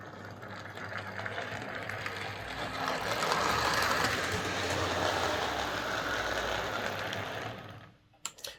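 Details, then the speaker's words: Model railway locomotive on a Morley Vector 03 Crawler controller instead of a Hornby HM2000, whose PWM caused buzz: soft, even whir with light steady ticking on a slow pull-away. No grinding or buzz, running smoothly. "i'm very pleased with that that is quite a difference it's much smoother and pulling away it doesn't have that awful grinding noise and it doesn't buzz"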